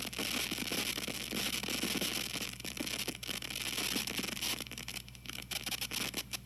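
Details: TG-TEK tablet with headphones plugged in while downloading: constant hiss with irregular crackles and pops coming and going. Happens only with headphones during downloads or multitasking, not during music playback; cause unconfirmed.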